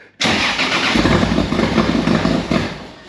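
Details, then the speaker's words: Nissan Prairie wagon (Datsun) fitted with a 2JZ on E85, first start after the build: head not done up, radio unconnected, engine full of oil. It cranks, catches at once, idles steadily and evenly for a few seconds, then shuts off; healthy. "yeah it runs the head aren't done up radio is not connected so that's about all the running you get into this moment"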